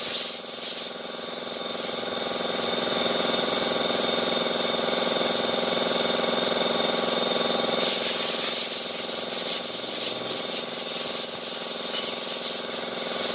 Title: Honda Idsi ( Grinding sound inside transmission, Vibration ,delay shifting)